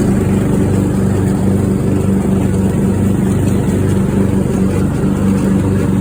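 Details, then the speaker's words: Craftsman riding mower single-cylinder engine after new fuel shutoff solenoid, fuel filter, spark plug and fuel treatment for a no-start, water suspected in fuel: steady, even drone, constant pitch, no misses; now runs smoothly. "oh listen to that engine per that sounds really nice"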